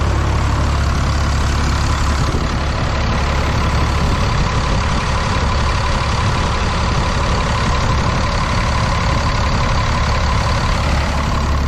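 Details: 6.7 Cummins with about 859k miles on factory injectors, cold start at 37–38°F in wind; heavy deep idle with slightly uneven, lumpy beat: rough cold-start idle, owner suspects bad injectors, not confirmed.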